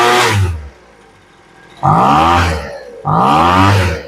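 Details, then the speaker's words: Poulan Pro leaf blower after new fuel lines, revving in short bursts with a brief lag before pitch climbs; hesitation on acceleration after half-turn adjustment of the high-speed mixture screw (farthest from block), before low-end richening. "Now you hear that little delay when it takes off? Pretty big difference on just a half a turn."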